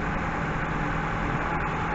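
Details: 2004-2011 Mazda 3 2.0L after timing chain, water pump, motor mount, AC belt and valve cover gasket replacement and oil top-up: steady, even low hum, no knocks or misses, rpm flat; idles smoothly and sounds healthy.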